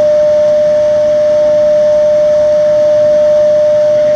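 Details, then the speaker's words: Xeikon 5000/6000 drum refinishing machine after belt and gear replacement, drum spinning while polished by hand across the drum: pure steady bell-like tone like a tuning fork over faint hiss, occurring intermittently; drum ringing during polishing. "sometimes the machine will start making that terrible sound, sometimes it won't. And here comes that noise. It's like a tuning fork."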